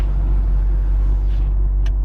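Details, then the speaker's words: Magnaflow 11366 performance muffler on a 2010 Subaru Impreza, steady cruise at 30 with windows up, light throttle: even deep rumble, not obnoxiously loud, better than stock, no drone or rattle; normal exhaust note. "you can hear it for just going on a solid thirty just cruising at thirty but I don't know I mean it's not noxious Li loud it's not it's definitely better than stock ever was"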